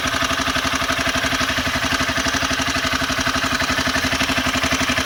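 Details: Honda CBR 250R at idle, quick even metallic clatter over each firing pulse: timing chain noise, owner suspects loose cam chain tensioner needing adjustment via its screw.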